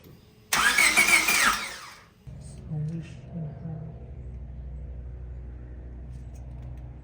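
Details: EG Honda Civic that died on a highway on-ramp after getting gas, after ground replacement: short starter crank burst, never catches, only a low hum; crank no start, no spark, igniter not sending signal.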